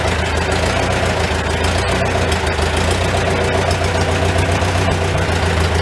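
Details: Old Farmall tractor with a finicky updraft carburetor, idling in a tight, smoky shed, muffler cap off; low, loose chugging at about four beats a second, slightly uneven but steady, no knock. Normal idle, running pretty good.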